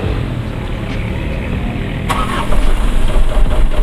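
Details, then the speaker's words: 2013 Mitsubishi Colt Diesel Canter FE73 box truck, about 300,000 km, well maintained with dry engine: diesel catches at about two seconds and settles into steady low clatter, no knocking or hunting. Healthy normal start and idle. "Tapi ini adalah 300.000 yang dimana kondisinya memang benar-benar terawat ya, sehingga dari mesin semua masih kering ya, mesin bagus dan halus guys."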